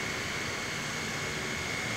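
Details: Household fan that had been slow, sticking and noisy, after lubricating and refitting the front grille: steady, even airy rush with faint constant high tone, no rattle or scrape; runs smoothly and quietly.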